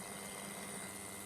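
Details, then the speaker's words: Berdair 12 V pump driven by an adjustable PWM signal generator at low duty cycle: a faint low hum with a thin high ring. Motor whine is still there at 15 percent; at about 30 percent it is gone and the pump turns choppy, like an old airplane engine idling. "we still have that wine down to about 30 percent the wine is gone pump definitely sounds a lot more choppy it sounds like an old airplane engine just idling"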